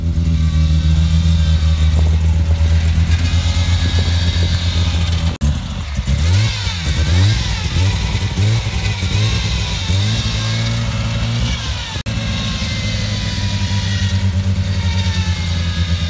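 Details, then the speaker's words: Mazda RX-7 FD with newly rebuilt big street-ported rotary engine, first start: deep, choppy, uneven idle with sharp throttle blips, normal for a ported rotary. "itsounds like a street port, but its not. just a big street"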